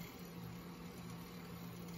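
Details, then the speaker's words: Norelco Continental 101 vintage tape recorder after repair, cleaning and adjustment: soft, steady low hum with much quieter running and very little vibration after a better-fitting part was installed; the rubber O-ring is still slightly slippery. "very little vibration much quieter"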